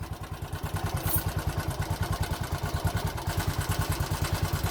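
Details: 2020 Bajaj Boxer X150 motorcycle at idle before repair: hard, rapid thumping with a hollow knock on each stroke and violent engine shaking; opening the engine found a worn piston rubbing the cylinder walls, fixed by replacing the piston.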